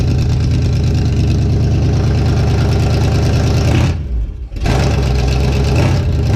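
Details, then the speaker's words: Healthy 52 Ford rat rod V8 idling outside just after first start following fuel pump hookup and fuel in the carb, loud deep choppy burble through open headers with no stacks fitted, steady rhythm with one brief dip; sounds great. "sounds really good well that's impressive thing sounds great"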